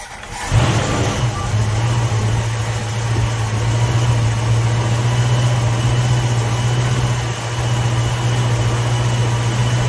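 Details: 1960s Ford Mustang 289 V8 automatic, described as running super rich: engine catches then settles into steady even idle, no misses or hunting; timing right on the mark.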